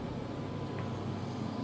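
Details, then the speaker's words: Tesla Model 3 heating up: a steady, even low hum with a loud fan-like rush and no knocks or grinding, normal noise while warming, likely the heat pump. "this thing's heating up right now I guess you're a heat pump they make noise too when they charge of course during the summer"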